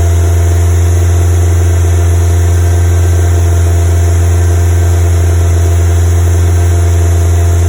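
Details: Westfield FW at fast idle with high CO emissions: deep steady drone stumbling unevenly now and then; misfire persists after fitting new ignition leads.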